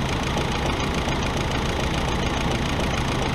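Steady, even idle with a smooth low rumble and no misses or knocks; the engine idles normally.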